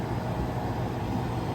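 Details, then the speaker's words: 208 V walk-in cooler condensing unit on the roof, just restarted after repair, not overcharged: steady low rumble and fan rush, no knocks or cycling; box at 66°F so head pressure high, good suction line, clear sight glass, running normally. "So the box is 66 degrees, so I'm not surprised that you're running a high head pressure right now. But we've got a nice suction line coming back, clear sight glass."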